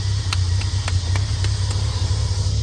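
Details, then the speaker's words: Triumph TR6 running on its own off an electric fuel pump, oil not yet changed. A steady, even low rumble at a settled idle with no misses or knocks. Normal idle. "it's just idling ID find about the idle where are we at in idle that's fine"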